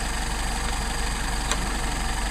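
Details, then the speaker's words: Mercedes 190SL with rebuilt Solex 44PHH carburettors after mixture adjustment: smooth, even idle around 750 rpm, no misses, knocks or hunting; carbs balanced and running well. "I think it's a great good idle it's about 750"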